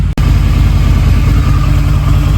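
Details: Harley-Davidson V-Rod after at least four years sitting, with the throttle body refitted, fresh 91-octane fuel, a new battery and 16,000 miles: a deep, steady V-twin idle with an even low thump and no misses, early smoke now cleared.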